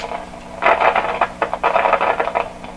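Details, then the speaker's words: 1929 Victor RE-45 radio: intermittent harsh crackling and popping over a quiet hum. The owner suspects a capacitor or a tube socket and plans to parallel the capacitor with another to test it; cause unconfirmed. "Okay, so we're gonna parallel this with another capacitor and see if that isn't the crackle monster there. It could easily be."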